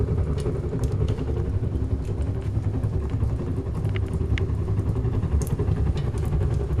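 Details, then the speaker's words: Wood stove with strong chimney draft: deep steady roaring rumble with loose chuffing pulse underneath; hard-drawing stove burning well, normal strong-draft roar. "Послушайте, как гудит или пыхтит печка. Так может не только топка паровоза."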